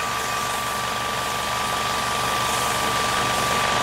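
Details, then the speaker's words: GT MAX 800 W 220V electric PCP compressor, fan-cooled, filling a scuba tank set to 2500: loud steady hiss and clatter with fixed high whine and fast even low pulse; normal running. "Nah, pada saat nyalakan suaranya akan berisik."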